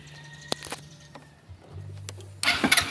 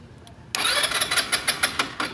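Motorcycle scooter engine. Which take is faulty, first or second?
second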